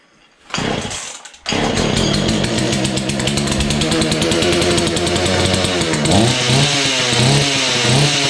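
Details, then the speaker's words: Husqvarna 235 X-Torq chainsaw, started after long storage using primer and full then half choke. It stutters, then buzzes unevenly with hunting pitch. The owner suspects the fuel pickup isn't working well. "um after all it's almost like the fuel pickup there ain't working too good really gotta prime it full choke put on half joke"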